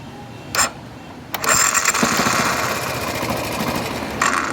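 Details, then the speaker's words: 2018 Yamaha XTZ 150 Crosser makes a harsh, uneven grind when cranking on the electric start; mechanic suspects a worn starter bushing at the rear of the starter motor, possibly starter clutch plate. "vou dar uma olhada nesse arranque aí porque essas buchin do arranque ess buchinha que tem na parte de trás da tiver assim engasta faz esse barulho"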